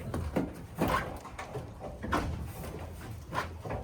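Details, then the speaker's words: OM606-powered Mercedes drag car, rear suspension with shocks giving only about half the travel: sharp squeaky thumps as the rear compresses and hits the bump stops hard; planned fix is returning to the earlier 190 shocks. "Oh, it hits pretty hard. You can hear it go squeak squeak. So, it hits pretty hard."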